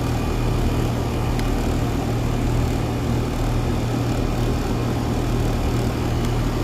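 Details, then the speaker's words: Carrier Infinity AC, not cooling, running during refrigerant charging after a coil cleaning with the coil still wet: steady hum with a low drone and fan rush while the system is still low on charge. "I'm just going to complete the charge I'm still low let it run for a little while"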